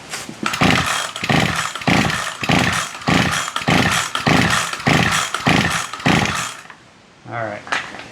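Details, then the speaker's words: Ryobi SS30 string trimmer that won't start, with a broken primer, pulled about nine times after priming two-stroke fuel into the carburetor: short rasping crank bursts, no firing; fuel not suspected, spark next. "okay so that's not the problem so I suspect it's not a fuel problem"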